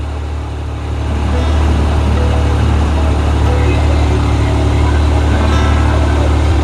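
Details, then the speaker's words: Yamaha YXZ1000R idling with fan override on after fitting a fan reverse relay kit; temperature dropping from 168 to 164°F, constant airy fan rush over steady low idle, no rattles or surging: radiator fans running normally. "164 that's fan override that's as cool as I wanted to get right now"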